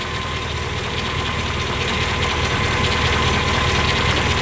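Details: Mercedes CL500 V8 idling in the workshop with a thin high squeal and chirping over the rumble. Belt idler/roller checked to see if the noise goes, traced to a worn idler pulley bearing.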